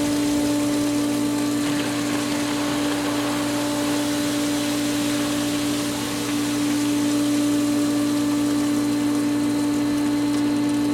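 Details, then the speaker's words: Pool pump after spring opening, skimmer opened and air purged from winterized lines: even steady motor hum, smooth flow, no gurgling, no bubbles in pump basket; normal pump operation. "no bubbles in the pump basket everything's looking good"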